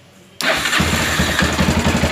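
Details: Motorcycle whose electric starter only clicked, traced to the starter relay rather than the starter brushes and fixed with a proper ground: silence, then the starter catches at once and the engine settles into a steady, even idle; a normal electric start.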